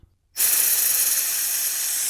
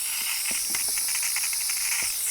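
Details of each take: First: Ducati 748 clutch failure, slave cylinder suspected: vacuum bleeder switched on at the open bleed nipple of the empty clutch system gives a sudden steady sharp hiss with no pulsing, drawing down fluid normally. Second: Ducati 748 with clutch failure: steady airy hiss with faint spitting as air is sucked through the opened bleed nipple, showing the clutch hydraulic line is now empty of fluid.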